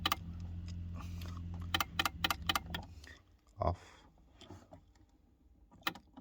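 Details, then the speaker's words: ACL Lifestyle programmer/timer makes a low steady buzz, then a quick run of sharp clicks when switched to hot water mode; noisy timer, cause unknown. "so this is Asia lifestyle programmer and you can hear the noise coming out from the program"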